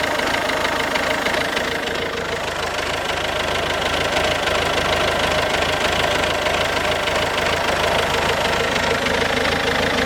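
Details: 2007 Ford Focus C-Max 1.6 TDCi 90 hp diesel: steady knock of roughly three per second over the idle clatter; engine knocking, cause not yet pinned down.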